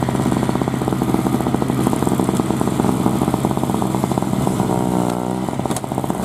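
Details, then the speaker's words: 2003 Murray single-stage two-stroke snowblower, unrun 5 years, started first pull after priming; crisp steady buzz holding even pitch while clearing snow under load, no misses or bogging; normal healthy running. "well she's a runner um even cut all the way path up the side of the garage into uh uh Summer Kitchen where she's going to be sitting"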